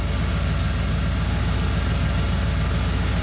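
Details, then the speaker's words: 1990 Ford F-150 Lariat 4WD, 351 Windsor V8, after replacing one ECM capacitor: steady even idle at about 850 rpm, very stable, no hunting; previously idle bounced 900–2000 rpm with hard shifts. "so about at 900 850 at about 850 very very stable"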